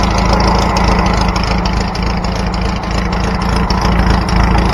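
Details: Trike engine after a new fuel line and throttle cable system were fitted, with no fuel leak: steady, even low-pitched putter with a gentle irregular lope, no misses or knocks; running normally.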